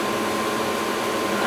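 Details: Old Goodman gas furnace blower motor after oiling, previously hard to spin: steady even rush of air with a faint hum, no squeal, grinding or knocking; normal blower running.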